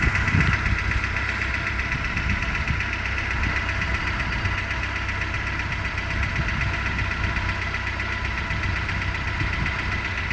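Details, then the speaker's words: 2008 Renault Logan 1 idling after cold start: light rapid ticking knock, about four per second, getting quieter as the engine warms, nearly gone by five minutes; owner unsure whether it is normal for these engines. "Тише стук, вроде чуть-чуть становится. Скоро пропадёт."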